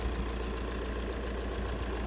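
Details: Budget overlander project diesel, engine looks about 400,000 miles with a new-looking alternator; even idle clatter, no dual mass flywheel rattle or clunk, steady healthy tick-over. Normal idle.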